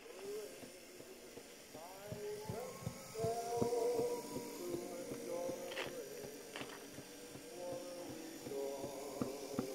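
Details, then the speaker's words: 1959 Clarion transistor battery 3-inch reel-to-reel portable twin-track recorder, unserviced; very faint playback dragging slow with sagging pitch and soft periodic knocks, suspected motor running over rough spot on drive wheel after sitting parked for years; needs service. "so it needs a service they can hear that it's trying to do something but it does all turn the knocking is the motor going over a rough bit on the wheel underneath"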